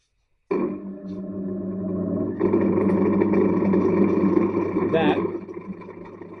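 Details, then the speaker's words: Disc sander spinning up with a long-standing loose, uneven rattle of about three beats a second over the motor hum; owner suspects the disc plate's mounting to the motor is loose, not confirmed. "All right. So, this thing here is rattling like a thing that rattles a lot."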